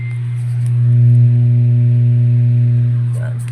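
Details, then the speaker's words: Yamaha bass powered speaker cabinet with built-in power amplifier, switched on with nothing playing: a loud, steady low mains hum. The unit also gives distorted, choked output; it is unclear whether the hum is normal. "Tapos meron din siyang malakas na ugong. So te-testing muna natin. On natin siya."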